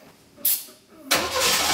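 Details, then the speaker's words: Saab Sonett first start in 20 years, run on starting fluid with no throttle pedal fitted; starter churns briefly, then the engine catches and runs steady and even with no misfire or knocking. "oh yeah i'm satisfied the sonnet runs i'm super excited i think it sounds awesome"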